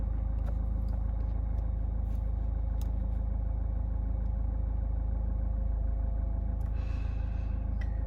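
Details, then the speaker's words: Land Rover Freelander 2 diesel just after a Wynn's injector and fuel system purge; steady, even diesel clatter at a very smooth idle with no misses or surges. "It's all up and running now, and I've already noticed the engine idling. It's very smooth."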